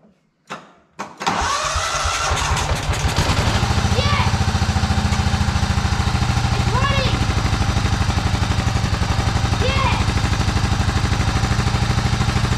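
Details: Old Cub Cadet riding mower, sat for years in a barn, no starting spray used: a few cranking tries catch, then engine settles into a steady, even single-cylinder thump about three beats a second, running normally.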